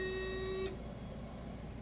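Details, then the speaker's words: Datsun 240Z Coyote swap, testing functions after first start: washer pump switched on gives a brief steady electric whir under a second, then stops cleanly; washer pump works. "Pump kicks on. Sweet. That works."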